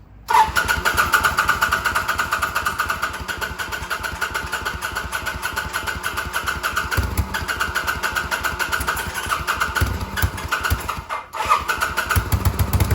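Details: 2005 Kawasaki VN800C V-twin, about 130,000 km, first start after storage since about 2015 on fresh petrol: catches and settles into a steady, lumpy idle with an even beat and one brief stumble; sounds healthy.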